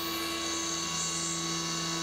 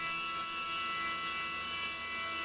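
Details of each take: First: CNC mill, 3/16 inch end mill full-slotting the AR15 gas block bottom side; steady, even spindle whine with a clean cutting hiss and no rattle or squeal, a smooth chatter-free full-width slot. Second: CNC mill, end mill on the AR15 gas block bottom side, coming around the side with a deeper cut; steady, piercing high-pitched ringing squeal as the end mill chatters, owner may slow the rpm.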